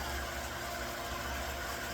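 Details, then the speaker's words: Newly installed pool pump, wiring temporary, running: smooth even hum at steady pitch, no grinding or knocking; running fine, normal. "But it is running just fine. And I couldn't be happier."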